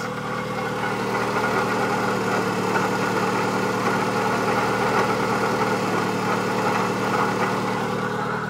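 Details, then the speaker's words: 1997 Eclipse GSX, stock T25 turbo at 12 PSI, possibly rebuilt, AC belt removed, idling: constant dry grinding in the belt area rising with revs, plus a slight lifter or injector tick; worn water pump bearing replaced, later alternator bearing. "the grinding that like grinding noise that just constantly kind of sits there it goes up with revs also so it's definitely in the belt area"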